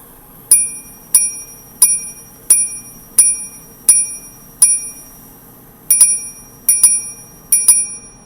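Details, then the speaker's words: Daniel Quare repeating pocket watch, ca. 1690, pendant depressed: seven single bright dings then three double dings, cleanly striking the hours and quarters. "the hours are strike by the first tone of single blow each for the number of hours and then the quarter hour is indicated by the double tones at the end"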